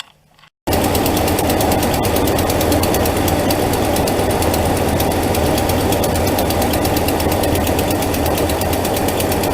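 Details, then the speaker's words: 2012 Dodge Ram 5.7 Hemi V8 running: quick, rough ticking from the exhaust manifold, a Hemi tick from broken exhaust manifold bolts, before repair. "You can hear that ticking noise, or that, kind of a crappy sounding noise coming from there. I think on this truck it just has it on the passenger side."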